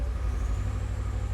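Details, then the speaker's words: Abarth, cold engine: low uneven rumble with irregular stumbles, a misfire that reportedly occurs only when cold; injectors and spark plugs already replaced without fixing it; cause not yet known. "But the problem is, when it's cold, it's not doing it now. There you go, you can hear it now. It develops a misfire."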